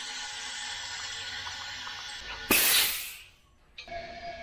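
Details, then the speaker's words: 2006 Subaru Impreza WRX STI EJ25 engine on teardown with lack of power, leak-down test: steady thin hiss then sharp release blast; about 17–20% loss escaping past the piston rings. "so 20% loss maybe 17 again coming through the piston rings"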